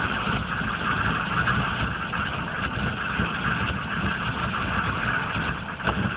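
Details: 1995 GMC K3500 6.5 turbo diesel, 78,000 miles: uneven, wavering idle clatter. It misses at speed mostly under full load, dies off throttle and sometimes won't start for days. Fuel pump works; codes stored. Owner suspects the PMD or injection pump, unconfirmed.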